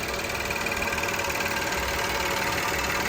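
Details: 2013 VW CC 3.6 direct-injection engine, freshly rebuilt with new piston rings, just after first start: steady, even idle with smooth rhythm and no knocks or misses; sounds healthy and settled.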